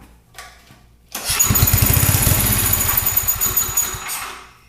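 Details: Coleman 5 kW gas generator, non-running, fed fuel directly to start: fires on the pull, runs a few rough seconds at a shaky beat, then fades out and stops, not running on its own; cause suspected, not confirmed.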